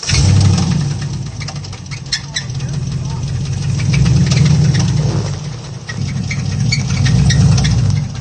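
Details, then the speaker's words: 2023 GM SUV engine at 30,000 miles: deep run with a hard metallic knock three to four times a second, bearing metal scraping on the crankshaft as the engine destroys itself; rod bearing knock. "That noise is just painful. You can just hear the bearing metal on the crankshaft just scraping and just shredding itself, destroying that engine."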